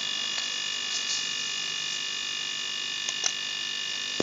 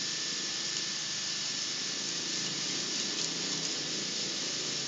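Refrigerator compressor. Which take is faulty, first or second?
second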